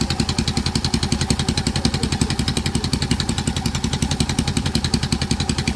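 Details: Yamaha Saluto single-cylinder at low rpm: steady, rapid idle beat with a harsh, clattery edge on each pulse; abnormal low-rpm engine noise, cause unclear.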